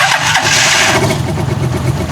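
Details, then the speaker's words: Rusi Chariot 175 motorcycle, not yet tuned up, engine otherwise said fine: small single catches and settles into quick idle with light, fast top-end ticking; valves noisy, valve tapping. "Yung tunog niya medyo may lagat ng konti doon sa bagula. Hindi lang ng tunog yan. Maingay na. Maingay na yun mga travelers yung kanyang balbula."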